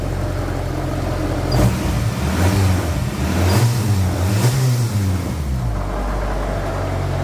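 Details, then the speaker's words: 2001 Acura Integra Type R, first start after sitting 10 years and a refresh with a battery installed and repainted valve cover, engine on five solid mounts: rough loud idle with uneven low rumble and loose rattling bursts up front; source unknown, owner suspects the solid mounts. "There's something up here that's really vibrating. Sorry if I'm loud, but the car is real loud too. Something up front is real vibrating."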